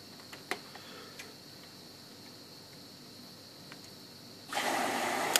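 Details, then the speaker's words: Whirlpool AWZ 9310-1000 front-loading washer after bypassing failed thermal door interlock: a few faint clicks, then steady rush of water as valve opens; now fills normally where it wouldn't before. "That's a working washing machine when it wasn't working before."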